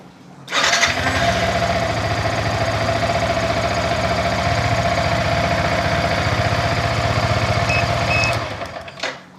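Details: Yamaha Vixion R motorcycle remote-started by newly installed plug-and-play alarm after about 6-second check-engine delay: brief crank, quick catch, even steady idle at about four beats a second until switched off via remote; healthy start and idle.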